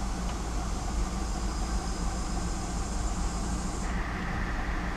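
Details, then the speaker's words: Pontiac G8 GT after transmission fluid loss, new trans lines and radiator, refilled; check engine light on, running a little rough: steady engine drone with faint high whine cutting out shifting into drive; doesn't feel like engaging, cause unclear. "It doesn't sound right. I don't know. Could just be me. Doesn't feel like it's going in drive now."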